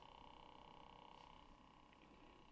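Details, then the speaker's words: 1980s Sanyo MGR87 auto-reverse personal radio cassette on tape mode: faint steady motor whine, spindles not turning on play, fast forward or rewind; motor spins but old drive belts need replacing. "I can feel the vibration there and I can hear it turning but there's no no movement at all so try fast forward rewind nothing at all"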